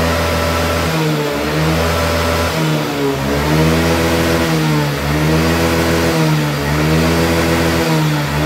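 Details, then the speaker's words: Yamaha Lexi 125 scooter, after repair of revs holding back and no power on hills: repeated throttle blips climb cleanly to full revs and drop back with no hesitation; fault was the fuel injector. "Nah sekarang dia sudah tidak nahan ya untuk gasnya sudah lepas semuanya jadi tidak ada nahan-nahan untuk gasnya"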